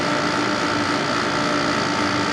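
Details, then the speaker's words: 1995 Carrier VisionAire air conditioner after clean-out and fan remount, maiden test run: steady even hum, constant mid-pitched motor tone, smooth airflow, no rubbing or rattling; running properly. "oh it sounds different it sounds good it really sounds"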